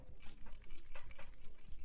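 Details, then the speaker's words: Loose irregular tapping rattle when shaking AirPods Max headphones; suspected causes are an internal part broken off from a drop or an overtightened screw. "If you hear that rattling noise, there could be many different reasons why, but the two main reasons will be that one, the previous owner has dropped the AirPods Maxes and something inside the headphones has broken off and started to rattle."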